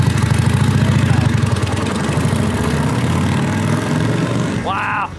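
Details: Motorcycle that had not run in 30 years and was fitted with the wrong engine: a deep, uneven V-twin thump with a strong low beat that pulls cleanly and evenly. The engine runs strong and healthy.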